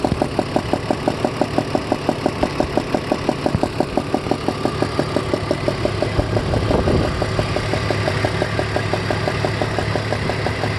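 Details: 2002 BMW 330ci E46 at warm idle: crisp regular ticking about three per second; cylinder 4 spark plug loose enough to spin by hand, leaking compression; tightening it removed the sound completely.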